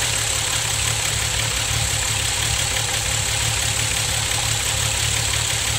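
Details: VW VR6 12V at idle, misfires on cylinders 2, 3, 6 (mostly 3 per VCDS), coilpack, plugs, wires, coolant temp sensor and purge valve already replaced: low uneven pulse under hissy top end, engine shakes, check engine light blinks; smooth when driving. Misfire.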